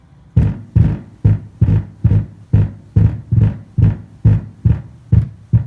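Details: Sony SA-WX700 subwoofer fed by the receiver's coaxial input: deep low throb pulsing about twice a second with nothing above it, a rhythmic hum from the sub amp; cause unknown.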